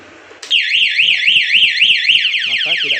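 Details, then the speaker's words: Honda Supra X 125 with an aftermarket alarm installed without cutting wires: start attempt while locked gives a short chirp, then a loud warbling siren rising and falling several times a second; the bike won't start while locked. "ya kita engkol tidak hidup ya teman-teman Oke jadi kalau posisi dikunci kemudian dicuri orang ya ini e tidak akan bisa hidup"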